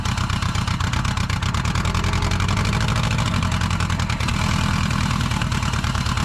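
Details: Bug-eye Subaru WRX with a JDM AVCS EJ20 swap, first start with the throttle connected: rapid loose banging that follows engine speed; first thought rod knock, but it is the driveshaft disconnected for dolly towing flailing in the tunnel.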